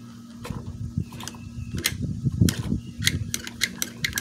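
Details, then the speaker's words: Magnum XL 1.20 four-stroke model engine turned by hand while still hot, after dying at full throttle with smoke: sharp irregular clicks and a thin squeak each stroke; owner suspects overheating or tight valves, and once cool only clicking remains. "for now with moving the engine over by hand I'm starting to hear this like quite a bit of obnoxious um C uh squeak or clicking noise"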